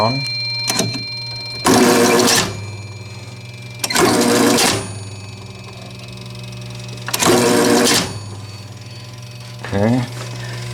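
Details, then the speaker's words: 1948 Gottlieb Olde King Cole pinball, restored: three clear bursts of scoring-bell ringing, each about half a second to a second, over a low steady transformer hum. Normal scoring bell ringing. "that's your Transformer that's the hum in you here this is one of the Bells so this will go"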